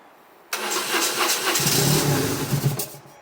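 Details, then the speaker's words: 1997 BMW R1100RT no-start that ran 30 seconds last week then shut off, fuel gauge reading nothing: catches on sprayed carb or brake cleaner, runs a couple of seconds, then dies; likely fuel delivery fault, fuel pump suspected. "so I think the fault is something to do with the fuel system so the fuel pump is the first thing that comes to mind"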